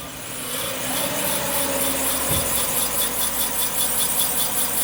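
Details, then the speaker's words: Subaru on a lift, wheel spun by hand: steady scraping rasp pulsing each turn as brake pad drags on rotor; pads installed backwards by a shop, same car also had a missing lug nut and loose wheel. "And then on this side, the brake pad is dragging. Like, if you can hear that sound."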